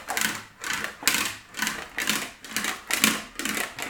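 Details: English wheel, medium crown wheel, rolling a Wolseley Hornet Swallow body panel back and forth: rhythmic rattling swelling about once a second; normal operation smoothing out mallet marks on first pass.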